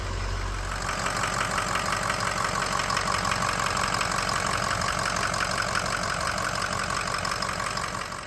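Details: 2006 Ford 6.0 Powerstroke diesel with crank-no-start, after new batteries, standpipe and dummy plug repairs and an injector: brief crank, then catches into a steady, even diesel idle with light clatter; running normally.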